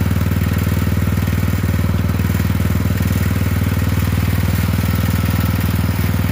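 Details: Poulan 12538 XT riding mower, 12.5 hp single-cylinder, 38-inch deck, final run after new carburetor fitted, brake on: loud steady thump at even speed, no stumbles, surges or rattles; repair done, normal running.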